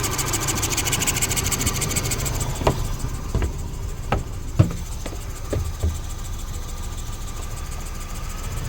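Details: Suzuki DF115 outboard idling: a harsh fizzy hiss over the engine, from the flywheel's steel magnet cover protruding, possibly from corrosion, and rubbing the stator; fixed by replacing the flywheel.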